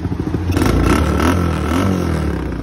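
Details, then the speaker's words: 125cc automatic quad with gear lever and a dead battery, push-started in first gear: the engine catches and runs with a steady, slightly clattery low beat and a short rev; running normally. "Empujamos un poquito para atrás la moto y después la empujamos hacia adelante. Un poquito más. La empujamos hacia adelante. Y ahí partió al tiro."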